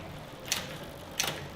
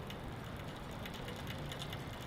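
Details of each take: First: Bicycle rear derailleur after adjustment, pulleys centred under the chain: two crisp clicks as the chain drops onto the next cogs, clean quick shifts with quiet freewheel between; shifting normally. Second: Bicycle rear derailleur, lightly pedaled in top gear: light, uneven clicking from a misadjusted high limit screw, which goes away when the screw is backed off slightly.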